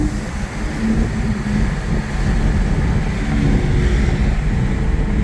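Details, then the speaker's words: Audi A6 3.0T with test pipes and a new Gibson 55106S anti-rasp muffler, accelerating through a short tunnel: deep smooth swelling exhaust, no raspy edge; big improvement over the earlier rasp. "and I don't know if you guys can tell the difference on camera but that is a huge improvement from all the rafts that I was getting before so liking it so far"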